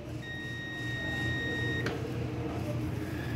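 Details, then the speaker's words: Whirlpool Duet electric dryer high limit thermostat tested with continuity meter after cooling and clicking closed: clean steady high beep for about 1.5 seconds; continuity restored, thermostat closed. "now I just heard it click because it just cooled off which means continuity has been re-established so now when I touch this it should beep listen"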